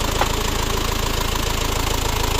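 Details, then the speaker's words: Isuzu Panther diesel after repair of the idle timing gear whose centre bolt kept snapping, refitted with a new custom-made steel bolt: steady even diesel clatter at idle, about fifteen beats a second, no knock or rattle; runs very smoothly. "suara halus. Halus banget."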